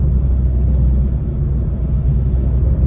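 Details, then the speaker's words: MINI JCW with rebuilt engine on its first drive after passing MOT and wheel alignment: a deep, steady hum from the front under road noise while cruising, present straight and turning left. Owner suspects a wheel bearing. "However, I took it out for a run yesterday, first run, and there's a drone, a hum coming from the front of the car. So I'm thinking it's a wheel bearing."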